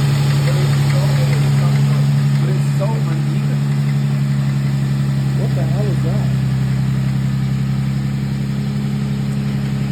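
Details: Nissan G35 at cold start, steady idle with a fast, regular light knock of about three to four per second over the hum; owner asks whether it is rod knock or piston slap, cause unconfirmed.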